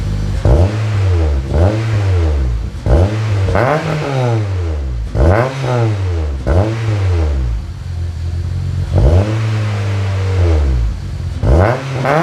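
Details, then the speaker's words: Honda CR-V (RD1, JDM) with K-swap, first start on new custom mild-steel exhaust (3-inch downpipe, 2.5-inch back, one resonator, twin-loop muffler), against a concrete wall: very loud booming revs; owner suspects an exhaust leak. "holy i might have an exhaust leak that shouldn't be that loud"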